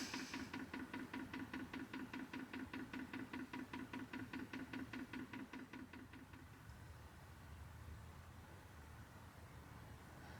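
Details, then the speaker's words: 2 kW Chinese diesel air heater being fitted in a Renault Trafic camper van, priming after a fuel run: pump ticks evenly about 2.5 per second for six seconds, then stops; normal priming. "And the little pump symbol comes up on the display, and you'll hear the pump ticking. So that's priming."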